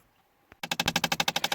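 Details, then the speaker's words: 2012 Chrysler 300, driver-side upper blend door actuator failed: rapid sharp clicking behind the dash about twelve per second, heard after shutoff while cycling or when changing temperature or airflow controls. "And just to show you, this is the noise you will hear when a blend door actuator has gone out. Either after the car has been turned off and it's trying to cycle, or you're changing some of the controls, temperature, or the direction of airflow."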